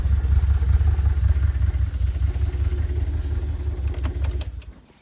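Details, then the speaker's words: 2008 Audi S5 4.2 V8 FSI naturally aspirated direct injection, manual: lumpy uneven idle with irregular thumps and stumbling, tone changing as the ECU shuts off affected cylinders to stop backfiring; multiple cylinder misfire. "As I said, very poorly V8 Audi. You would have noticed that the engine tone changed halfway through that run there. Basically what that is, that's the engine ECU switching off the affected cylinders so it stops backfiring."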